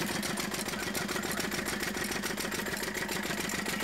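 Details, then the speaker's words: Lister-type Field Marshal 10HP single-cylinder diesel after broken idler gear replaced and timing set: steady, even chuffing about two beats a second, no misses or knocks; runs cleanly and healthy. "कि यह हमारा engine देख सकते हैं आप इसकी चाल ढाल चलना कैसा चल रहा है कैसा स्पीड है इसका वैसे ही आप इसको फिट कर सकते हो लेकिन हमारा इंजन पुत्र और भी चल रहा है सारा कुछ सिस्टम फिट बैठ चुका है"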